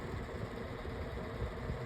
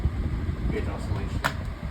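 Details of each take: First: Pedestal fan, 10 blades, four speeds, on speed one: low uneven hum with irregular rumbling thumps, motor housing shaking, vibration from speed two down, worsening over time; rough motor, cause unclear. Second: Pedestal fan running with smooth oscillation: a soft, steady low whoosh with no rattle, tick or scrape. Normal, healthy operation.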